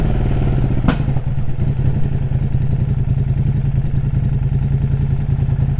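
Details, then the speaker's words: KTM RC8 R running: a lumpy, uneven low thumping that never settles. Rough running; the owner says the injection-rail intake hose has blown off, and a head gasket replacement is also planned. "Et puis du coup, on va acheter un manchon parce que là, ça repète à rate. Donc c'est sûr que le manchon de comment ça s'appelle ? De rampe d'injection, il a il a repété, c'est obligé."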